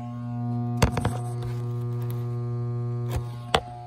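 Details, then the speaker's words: Storm-damaged 4-ton HVAC system not cooling: steady low electrical hum with no spin-up and a few clicks, blower motor energised but not starting; capacitor to be checked next. "the blower motor is just humming it's not actually coming home"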